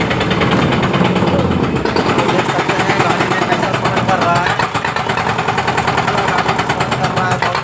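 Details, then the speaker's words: Mahindra Jeeto diesel at rough idle with loud, fast, steady tak-tak knocking; code P040300 EGR valve open load error; mechanic suspects EGR valve jammed, blocked, stuck open or with something caught inside; engine knocking. "ऐसा sound जो है एजीर जाम होने से भी आता है या एजी are बलक हो जाना जीर के अंदर कुछ फस जाना एजर ओपन रहना एजर ओपन रहन"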